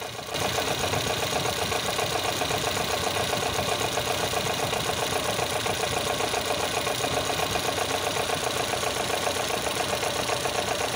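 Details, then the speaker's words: Volvo B20/B18 engine at idle with worn timing gears (original fiber gear): a fast, even diesel-like clatter of about four per second, with ignition timing bouncing; catastrophic failure will soon follow, and once it fails the engine cannot run until the gears are replaced. "yes cars sound like a serious diesel land rover catastrophic failure will soon follow when it occurs"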